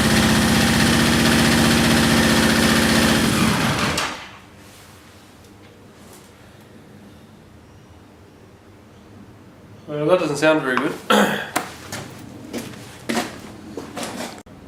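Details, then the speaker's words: Yamaha XJ650 motorcycle after transmission fluid was put in the cylinders for a suspected sticky valve: choppy, uneven running for about four seconds before cutting out; spark plug one gives no spark, another very weak, high-tension lead leak suspected; misfire from dead plug. "that I've also got a bloody spark one plug it doesn't work at all another plug very weak stuff"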